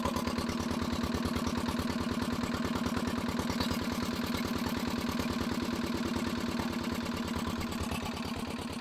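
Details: Barn-find dumper (Daphne) single-cylinder diesel running rough: steady clattery beat about three firings a second, unchanged while the injector cap pressure spring is adjusted in and out; injector to be removed for a pop test. Suspected, unconfirmed.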